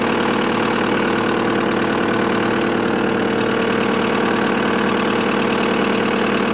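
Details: Diesel skid steer idling after fuel filter change for water in fuel tank: steady clatter at even idle, roughly two beats per second, no stumbling or misses; runs smoothly, no leaks.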